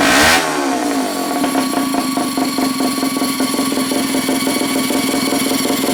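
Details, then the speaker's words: Pull-start gas rat bike engine: pull-start rattle, then the small engine fires and holds a steady, even buzz with no knocking; the pull start noise needs attention, engine healthy. "there we go pull starts noise you got to go deal with that but other than that sounds good don't it I think she'll be just fine"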